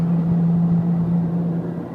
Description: 2009 Honda Accord LX 4cyl with 115K miles has a really bad wheel bearing hence the really loud noise